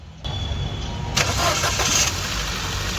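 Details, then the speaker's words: Ford EcoSport after replacing water pump with broken bearing and refitting timing belt to marks: starter whirr, then engine settles into a smooth even idle with no knock or rattle; noise fixed. "बराबर है आप देख सकते हो अपना एकदम perfect है ये अपने गाड़ी का"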